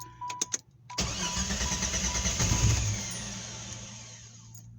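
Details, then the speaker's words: 1993 Jeep Grand Cherokee 4.0 with all sensors, distributor, plugs and wires replaced and fuel pressure checked: cranks, catches with rough uneven firing, then dies within seconds; backfires and stalls on throttle. "so if I give it Full Throttle or halfway it just backfires and then just dies"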